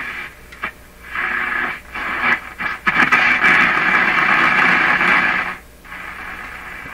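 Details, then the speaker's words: Hallicrafters S-38 four-band tube radio after replacing power-supply electrolytic capacitors to cure hum, on isolation transformer with no antenna: station audio with hiss swelling and dropping while tuning; normal AM reception. "what do we hear we hear the radio that works okay works with no antenna"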